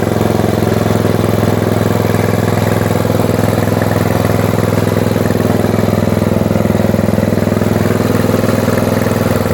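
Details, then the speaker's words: Tecumseh-engined Snow King snowblower after summer storage, just started: steady, even single-cylinder drone with the auger turning, no misses, surging or knocking; healthy run under load. The spark plug was later found heavily carboned. "Auger works well."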